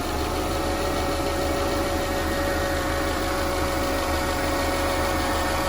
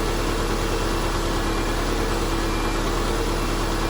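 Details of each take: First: 2009 Subaru Legacy 2.5 L non-turbo SOHC at idle, after rack-and-pinion replacement: steady thin whine riding on the engine; owner thinks the previous owner ran the power steering pump dry, pump to be replaced. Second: 2005–2009 Subaru Legacy idling after power steering pump replacement: a smooth, even rumble with a steady hum and no whine or groan from the steering pump; sounds healthy.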